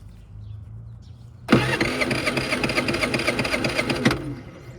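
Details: Predator 3500 generator that won't start per customer; about two and a half seconds of fast, even starter cranking with no catch, engine never fires; crank no start, cause not yet found.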